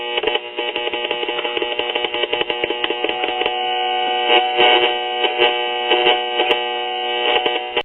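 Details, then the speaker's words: Crosley Cruiser record player: a harsh buzzing hum with steady stacked tones that flutters and changes in level as a hand nears the tone arm. Hum pickup from the unshielded tone arm. "yeah this thing is so unshielded that when i even bring my hand close to the tone arm well you can hear what it's doing it's acting"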